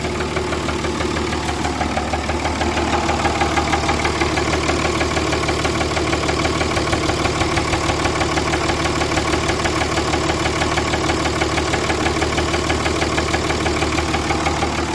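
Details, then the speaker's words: Blown-up Cummins diesel truck engine with rod knock and blow-by, smoking: sharp steady bottom-end knock about three per second over the idle, runs surprisingly smooth but hates starting. Rod knock. "bottom end knock it sucks it's surprising how smooth it runs but it is not happy about ever firing up"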